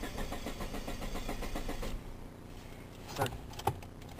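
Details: Geo that won't start: rapid even cranking for about two seconds with no catch, then silence and clicks; no fuel pump whine at key-on, possibly out of gas; fuel pump not running, no-start.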